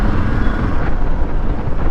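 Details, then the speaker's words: Royal Enfield Classic 350 while riding and accelerating after the rear axle was greased: smooth, even engine note, steady low rumble, no khat-khat knock or rattles; accelerating properly, noise gone. "अभी सही है accelerate सही हो रही है sound तो नहीं आ रहा"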